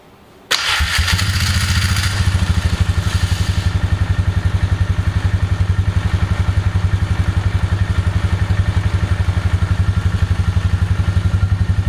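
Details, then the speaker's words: Polaris Magnum 325 single-cylinder ATV that was starving for fuel, running lean and backfiring, now with the correct air cleaner fitted before a test ride. Fires at once, then an even thump of about four beats a second, steady with no surging; running normally. "It doesn't try to run out of fuel anymore."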